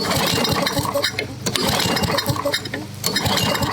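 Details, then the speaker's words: Vintage Craftsman 21-inch mower with 6.25 hp Tecumseh engine, primed, cranking after service: uneven strokes, roughly forty a minute, with clinks but no firing; won't start because the spark plug is wet with water, not fuel; plug to be replaced. "oh we may have no SP it could still be flooded out might want to pull the plug again yeah that plug was wet and not with fuel there's still water in it even though I blew it out"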